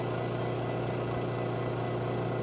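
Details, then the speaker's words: Robinair 134Z recovery machine suspected of a bad compressor, running after output valve opened and unit switched on, pulling vapor at about 20 psi: smooth constant low hum, no knocks, rattles or wavering pitch; normal running. "And we're at about 20 psi here. Now, looks like this may take a little while."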